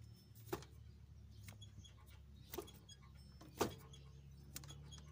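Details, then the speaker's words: Suzuki Grand Vitara 2.0 AC compressor pulley turned by hand gives sharp, uneven squeaks from a worn pulley bearing; water pump, idler pulley and tensioner also noisy. "Ayan oh. Ik ikik ikik. So compressor pulle yan oh."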